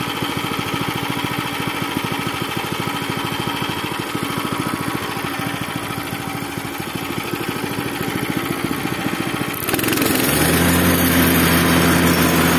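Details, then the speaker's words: Repaired Zipper plate compactor, which had smoked, stalled and lacked power and then had its fuel system cleaned and a strainer fitted: an even single-cylinder putter that climbs cleanly to a smoother higher-speed note near ten seconds, with no misses. "No i jak wam się podoba jego praca uważam że chodzi nieźle jeszcze sprawdzę maksymalne obroty co nie kręcił się za wysoko"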